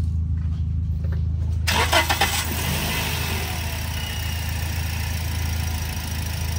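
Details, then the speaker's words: 2007 second-hand car being started after radiator coolant was topped up from nearly empty; quick crank, clean catch, then steady even idle with no misses or knocks; normal start and idle. "Alright, so gagawin natin, i-start natin. Then hihigop kasi yan, higop yan."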